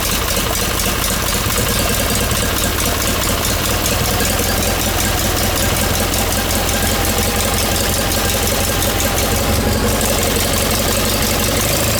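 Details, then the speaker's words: John Deere 318 small petrol twin idling after reinstalling the engine with a reworked manifold (old one caused surging), new plugs, wires and oil change, shrouds off; steady even idle with no surging or hunting, running good. "Yeah, she's running good, man. She's running good, Ma."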